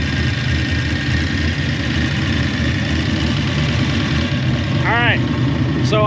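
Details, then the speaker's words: Small Block Ford Windsor V8 Fox Body Mustang after roller rocker and pushrod install, cold start: steady, fast, even idle with no misses; owner suspects the idle set screw is now set too high and plans to let it warm up and do a base idle reset. "the side idle set screw is probably now set too high, but I'm going to let it warm up and see what it sounds like"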